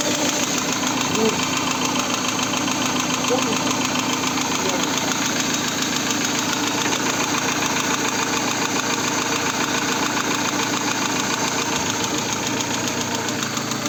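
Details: VAZ 16-valve engine, hot, after new camshafts, oil pump, pickup, all bearing shells and hydraulic lifters; hot oil pressure is low (0.9 at idle, 3.0 at 4000 rpm): steady idle with a rapid light knock, three to four per second; cause unconfirmed.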